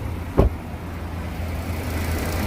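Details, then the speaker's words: Car with 4th-generation propane system just switched from gas to petrol: after a brief click, low, steady, even idle rumble with no vibration or misfire; on gas it had shaken and knocked. "Benzinga tiniq ishlab boshladi mana. Hech qanaqa vibratsiyasi ishlayapti motor. Tiniq ishlayapti."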